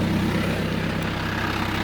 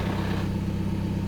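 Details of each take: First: TDI with a newly fitted DKM stage two clutch and single mass flywheel, at idle as the clutch pedal is released: an uneven light gearbox rattle that is louder on the gearbox side, expected and reportedly harmless. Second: TDI idling after fitting a DKM stage two single-mass flywheel clutch in place of the silent dual-mass: a light, fast gearbox rattle appears once the clutch is released, louder on the gearbox side; normal for this setup.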